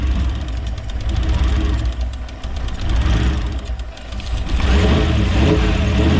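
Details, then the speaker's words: Toyota 1UZ V8-swapped Hiace van on Link Gen 1 V5 ECU firing injectors four at a time: uneven idle with fast loose ticking about four per second; suspected sparks arcing or noisy injectors, unconfirmed. "It sounds like sparks jumping around. I reckon it sounds like a sewing machine. It sounds like sparks jumping around. It sounds like sparks or really noisy injectors."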